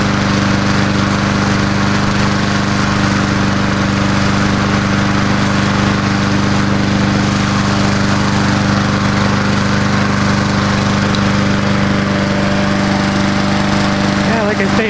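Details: Old Murray Dynamark 22 mower, 3.75hp Briggs & Stratton, just started after about seven years stored, fresh gas, smoking a little: steady, even single-cylinder putter at constant speed, no misses or knocks; normal running.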